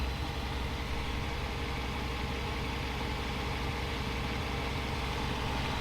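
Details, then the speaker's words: Freshly installed Mercedes M119 V8 at idle with a temporary drive belt two ribs short: a deep, steady idle with an even burble and no ticking, knocking or abnormal noises; normal. "and sounds sounds great no ticky no abnormal noises"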